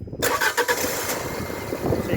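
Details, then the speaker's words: 2017 Fiat 500 with the 1.2 Fire engine, previously a no-start, no-crank with no codes, after the battery is refitted and the gearbox earth strap terminal tightened: a quick crank, then it catches cleanly into a steady, even idle; a healthy first start. "that's what we want to see the engine starting up the first time"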